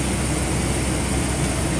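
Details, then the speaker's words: Chevy Express converted bus with a 4.8L LS and 4L80E transmission, knock appearing after warm-up: steady low running with a rough, uneven low-end knock. It sounds like a lower-end knock, but the owner suspects a cracked flex plate, not rod knock. "Got a knocking noise. Kind of sounds like a lower end knock, but what I believe it is a cracked flex plate."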